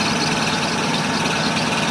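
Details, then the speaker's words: Toyota 4Runner V8 idling in park/neutral: steady idle with a faint, thin whine over it, also present when revved and in every gear; owner cannot locate the source, so the cause is unknown. "okay so I know you can hear it right now and it even does it when you rev it up and that's just a neutral so our Park"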